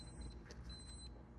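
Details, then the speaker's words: Williams System 11b Black Knight 2000 pinball lamp matrix: logic probe on a transistor whose solder pads are suspected of a weak connection. A faint high beep cuts on and off every half second in a steady rhythm, blinking as it should. "transistor hooked up to this logic probe, and it's blinking like it should. That's the way it ought to sound."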